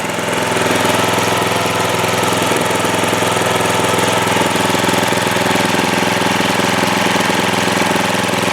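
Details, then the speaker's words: Trailmaster go-kart single-cylinder petrol engine idling normally after its carburetor was cleaned twice, having sat unused for over a year and not starting; an even, rapid putter with no misses. "Well, that sounds a lot better at idle, doesn't it?"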